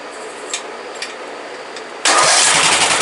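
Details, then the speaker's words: Briggs & Stratton 17.5 OHV single-cylinder lawnmower engine, muffler fitted, bottle-fed fuel, on a substitute carburetor; quiet, then fires loud and runs rough and uneven; carburetor judged junk, other carburetor to be refitted. "That carburetor's junk. Let's put the other one back on it and see what it does."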